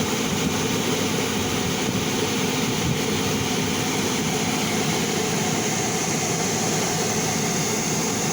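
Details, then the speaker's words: Dodge/Chrysler (2010–18) rear A/C unit that had been making a bad clicking noise, tested after the repair: a steady, even blower rush with no clicking, and the blend door opens and closes normally. "esta la compuerta abre y cierra tenemos aire ya no se escucha el ruido entonces hicimos buen trabajo aquí"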